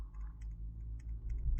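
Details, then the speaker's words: Samsung S22 Ultra phone with faulty 10x zoom camera module: faint light clicks with even a little shake, a loose rattle inside from the camera module, unlike the quiet new replacement module. "even a little bit of shake you can hear the noise"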